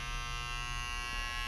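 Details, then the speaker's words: EBS260 handjet printer after pressing start: steady electric buzz of constant tone as the ink cartridge pressurizes normally; emptier cartridges take longer to pressurize. "And you now hear it pressurizing. Depending how full your ink cartridge is, it depends how long it continues to pressurize."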